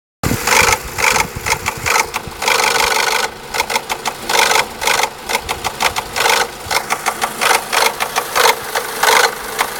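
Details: Renault Laguna II 1.8 16V petrol (F4P 770) at idle: a sharp, even tapping over the engine, described as a faulty tappet but traced to a faulty cam phaser (dephaser).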